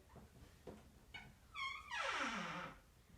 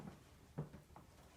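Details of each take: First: Bathroom door swinging on dry, unlubricated hinges before lubricant is applied: loud tonal squeal with falling pitch; squeaky door hinge. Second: Bathroom door swinging quietly after its squeaky top hinge was sprayed with lubricant, wiped and worked in: no squeak or creak, only a soft low bump partway through.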